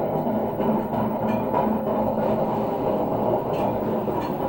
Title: grinding noise from a washing machine drum coz of extremely worn out bearings